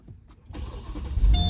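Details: 2009 Mercedes SL550 (R230) started with the keyless go push button and brake pressed: short crank, quick catch, smooth even idle; key fob in ignition gives no crank, no dash lights; normal start.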